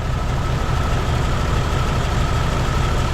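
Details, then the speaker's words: 1999 Jeep Cherokee XJ 4.0 at idle, plug wires grounded one by one: there is no change on cylinders 3 and 4, with a loping, uneven beat. Two dead cylinders sharing compression through a blown head gasket between them. "there's three there's four we have a bad head gasket between them those two cylinders sharing compression"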